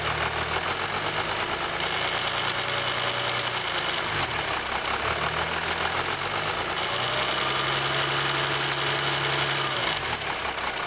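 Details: 2007 Jeep Grand Cherokee 3.0 CRD diesel, camera on the battery: fast, uneven metallic rattle over the idling engine note. Owner suspects timing chain rattle on the drive side, unconfirmed.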